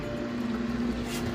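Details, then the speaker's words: Kuppet 26 lb portable washing machine draining last of the water via hose; wavering mid-pitched pump drone that sags as it runs low; drain pump struggling with little water left, needs hose helped. "see, there's still this much water in there for sure. But you can hear it's struggling, so."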